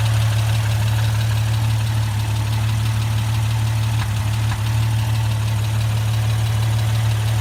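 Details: Jeep XJ 4.0 with 269,000 miles, idling: faint, uneven tapping about three per second over low hum; newly started knocking, cause unknown.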